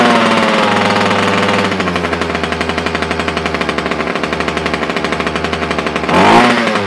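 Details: Titan two-stroke strimmer after carburettor swap, previously only running on choke: buzzes steadily and evenly off choke, then picks up cleanly when throttled; engine running healthy.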